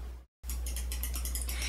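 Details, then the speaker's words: KATO Torque Limiting Clutch Drive (CT9602) installing a small tangless/Helicoil insert: fast light ratcheting clicks as the handle turns but the mandrel doesn't, meaning the clutch is slipping because the torque is set too low. "you hear the clicking sound the handle is turning but the mandrel is not this means the clutch drive is active and there isn't enough torque to install the insert"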